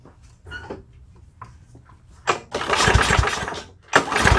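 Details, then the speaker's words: End-of-season push mower being pull-started with a spark tester attached: rough pull-start bursts with rapid compression chuffs, never firing; cranks but won't start, no spark shown, needs deeper diagnosis. "Alright, so as you can see from the video, there was no spark at all in the spark tester. So we're going to have to dive into this one a little bit deeper."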